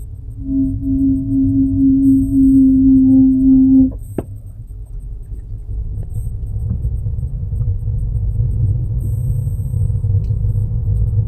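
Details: Steady singing hum when pressing the brake below 10 km/h, cutting off abruptly to leave only low road rumble.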